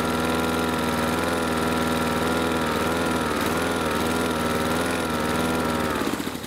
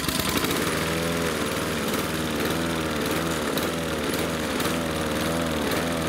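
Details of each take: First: Husqvarna R 53SV self-propelled lawn mower after Sea Foam Motor Treatment added to fuel for surging suspected from blocked carburettor jets: steady, even single-cylinder note with no hunting or surging, then winds down; fixed without carburettor cleaning. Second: Husqvarna R 53SV self-propelled lawn mower before Sea Foam treatment: speed swells and sags about twice a second in a steady hunting rhythm; surging, owner suspects blocked carburettor jets.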